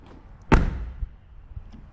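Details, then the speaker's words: Jaguar XF car door closing with a single solid, deep thud and no rattle, how it should sound; this car's repaired driver door rattled from improperly installed bolts. "it should absolutely never sound like that this is what it should sound like"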